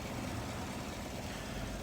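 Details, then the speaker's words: 2014-17 GMC Sierra after new plugs, wires, throttle body cleaning and belt replacement, the belt ending its rough, surging idle: steady, even low rumble with no rise and fall in speed; normal idle. "it wasn't until I changed that belt that everything started running like butter this thing runs like the day I got it off the lot"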